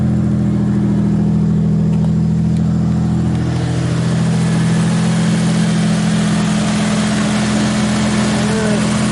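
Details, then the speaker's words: 2JZ-engined drift truck, started after refitting the modified radiator with water-filled cooling system and reconnecting the battery: catches straight away and settles into a strong, even run with a steady low drone; starts and runs cleanly. "After I connect the battery. Alright, take 2, battery is connected. Starts right"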